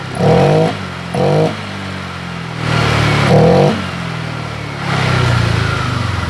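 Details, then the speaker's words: Honda Vario 125 LED scooter with stumbling and sluggish throttle response: short blips, then revs climb more eagerly once fuel is sprayed in through the air filter, showing a lack of fuel; fuel starvation. "ternyata tarikan gasnya lebih responsif labrat ini permasalahnya berada di bahan bakarnya kurang"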